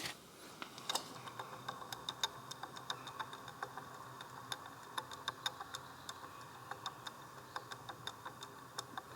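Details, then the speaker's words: 1990 Formula Konig race car rear wheel bearing turned slowly by hand, microphone close; irregular sharp clicks and ticks as the balls roll roughly; both rear wheel bearings worn, new hub unit ordered. "I'm going to put the microphone a bit closer because you can hear the little balls in this bearing, and that's most likely a sign that the bearing is no longer good."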